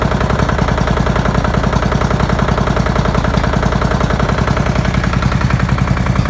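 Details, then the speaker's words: Murray flathead single-cylinder engine on its first start in a long time, possibly filled with used oil: a heavy, fairly even clatter of about 2.5 knocks per second. It is knocking badly and likely needs a rebuild; the cause is unconfirmed. "Not even blowing smoke. Wow. Knocking pretty bad though."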